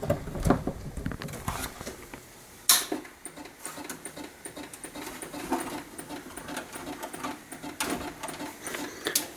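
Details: Vintage Macintosh Plus, bought cheap and just recapped, plugged in again: uneven mechanical chattering and rattling bursts from the floppy drive, no startup chime, fails to boot. Floppy drive or motherboard problems suspected, not confirmed.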